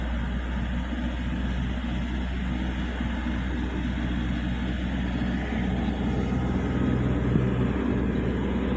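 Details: Toyota after alternator repair, idling with AC at maximum and headlights on, charging up to about 14 V. Low, steady rumble with even firing and no squeal, knock or rattle from the front; the engine sounds healthy.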